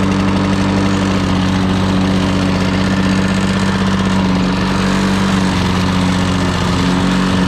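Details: Old Lawn-Boy 10550 two-stroke push mower, auction buy, running after priming with little fuel: a constant buzzing drone that never climbs to full RPM though throttle travel is full; owner suspects a dirty plastic carburetor or unknown adjustment screws.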